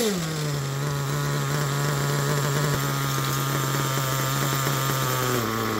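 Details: Picco P3TT DLC nitro engine, almost 10 gallons through it, new bearings and connecting rod, worn crankshaft, damaged sleeve and block: high-pitched buzz holds a fairly steady idle, then sags and shifts; runs but won't settle cleanly.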